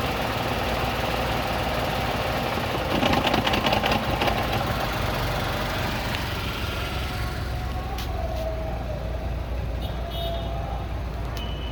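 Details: Tata Tigor with heavy vibration: rough, uneven idle with an irregular stumbling beat about 150 a minute under the drone; misfiring badly, cause unclear.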